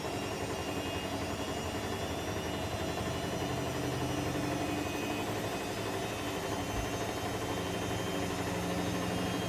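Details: Electrolux EWF10843 front-loader spinning at 800 rpm with only 2 pieces of clothing: loud steady roar with hum and faint whining tones during spin cycle, cause unknown.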